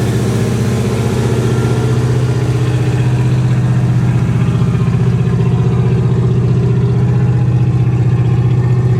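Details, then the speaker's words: 1963 Oldsmobile 88 survivor, running after gas poured down the carburetor (choke faulty, won't stay running otherwise): loud, raw, open exhaust rumble with a fast, even beat, barking louder on revs; muffler completely blown out. "muffler's blown out completely on this thing so uh definitely going to need to do something with the exhaust it sounds badass"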